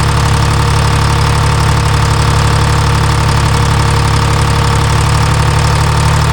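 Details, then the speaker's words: Timberjack skidder with freshly rebuilt Detroit Diesel 3-53, previously missing, after injector fingers tightened; deep steady idle about four pulses a second, no knocks or misses; running clean. "I ain't mad at that. No. Sounds good."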